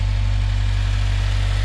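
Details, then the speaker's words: 2016 Subaru WRX at idle after greasing the throwout bearing and clutch fork and pumping the clutch several times: steady low idle, the previous throwout bearing chirp is gone. "all right chirping is gone listen you hear nothing no chirping"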